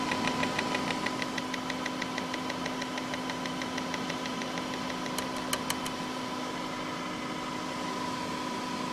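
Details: Corsair H80 liquid cooler failing two hours after install, intermittent noise: steady hum with fast rough rattle about three per second and sharp clicks; pump grinding as it fails.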